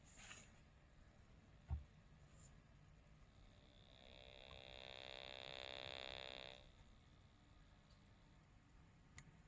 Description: Radio emits a buzzing sound when turned off.